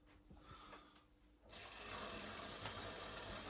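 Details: Bosch WFP3300 washing machine after rebuild, cleaned, running an easy-care program (28 minutes, 800 spin): quiet hum, then a sudden steady rush of water as the inlet opens, flowing evenly with no chatter or hammering; filling normally.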